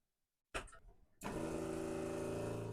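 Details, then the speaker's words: Jabsco fresh water pump after fitting an accumulator tank and mounting on neoprene foam, tap run normally then at a trickle: brief clatter, then steady even hum with no judder; now smooth and quiet. "so that's the tap running normally and that's it at a trickle so there's none of that juding at all when it's just at trickle there's no juding at all it's absolutely silent that's made a hell of a difference"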